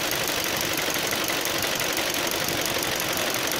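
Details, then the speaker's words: 2009 Ford Focus idling with cooling fans running after fixing missing fan ground; steady even air rush, no rubbing or rattle; fans switched on around 208 and off at 204 as temperature dropped. "pero miren entraron a los 28 y baja los 206 204 se apaga miren ya son 204 Y ya se están apagando Ya se apagaron está dejando de girar"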